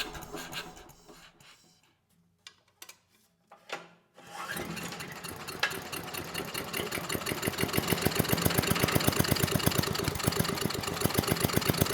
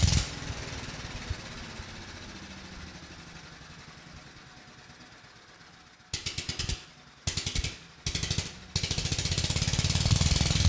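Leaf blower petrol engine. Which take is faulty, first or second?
first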